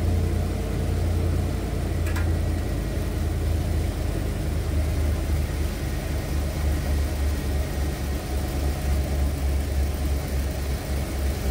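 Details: 1991 Ford Econoline E350 dual-tank van after in-place repair of a fuel tank selector valve stuck on rear tank; deep, steady idle with even low rumble, no misses or knocks, running smoothly.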